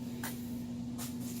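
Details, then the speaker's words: 2002 Kia Sportage running with exhaust pipe not installed, during valve cover gasket and spark plug job: loud raw engine drone with sharp hissing puffs from multiple exhaust leaks. "And well, as you can hear, even with a hose hooked up, still wouldn't have mattered as many exhaust leaks as it got."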